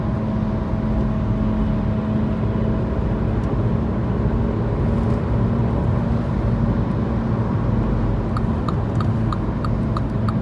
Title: Mini cooper f56 making recurring humming noise, bad wheel bearing noise